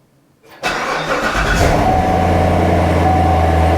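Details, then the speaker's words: C7 Corvette after replacing the serpentine belt tensioner assembly to cure a squeal. The engine catches quickly and settles into an even idle with a steady hum and no belt squeal or chirp. Normal accessory belt drive. "I don't hear that Silling sound so I do believe that that took care of my problem I'm not hearing that squeal sound anymore"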